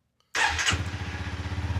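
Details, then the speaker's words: Honda CRF300L/CRF250L after fitting a FirePower Featherweight lithium battery, key on: brief brisk starter spin, single fires at once into steady even thumping idle; fast, healthy crank and start. "Oh yeah, that buzz is right over. Yeah, so that cranked it, fast."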